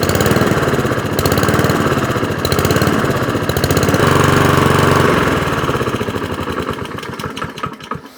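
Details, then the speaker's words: Shed-find Rover mower with Honda single-cylinder engine after servicing, started first pull; idle rises and falls in slow uneven swells instead of holding steady. Engine hunting at idle; idle mixture screw possibly needs adjustment. "It is hunting a little bit when I drop it down to idle. That's that surging you can hear."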